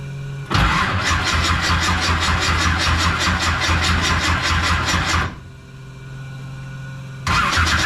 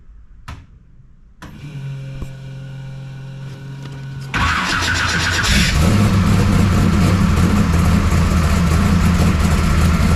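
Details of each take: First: 1969 Camaro pro street V8, cold start after Holley carburetor rebuild; fires and settles into lumpy, loping idle with raspy exhaust, dies and restarts; owner suspects timing super retarded as headers get smoking hot. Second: 1969 Camaro pro street V8 after Holley carburetor rebuild and ignition timing adjustment; starter whirs, engine fires and picks up, then strong, even idle with steady beat; runs pretty good; valve lash still to check.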